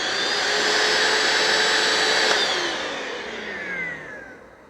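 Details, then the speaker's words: Bissell ProHeat Essential carpet cleaner, curb find fitted with a replacement cord: steady high-pitched motor whir with airflow rush, winding down at switch-off; the motor sounds okay. "well I would expect some drips and stuff in there but uh motor sounds okay seriously that just doesn't seem that bad"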